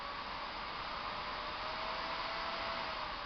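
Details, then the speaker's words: PS3 fat (CECHA01) with an adjustable fan mod, turned down to 40–60% fan speed: a steady, smooth airy whoosh with a faint constant hum and no rattle or pulsing, a normal cooling fan. "That's 40 to 60% speed right there."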